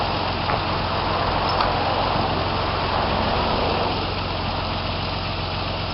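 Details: 1995-96 Jeep Cherokee XJ 4.0 petrol (UK Limited), running after the immobiliser and alarm bypass: steady, even idle with a smooth low rumble, no knocks, misses or hunting; idling normally.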